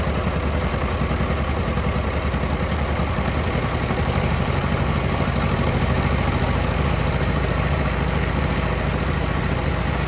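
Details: 1940 Minneapolis-Moline RTU tractor after sitting too long, with fresh plugs and fluids: started right away with little throttle and no choke, then an even, steady low idle, no misses or knocks; normal idle.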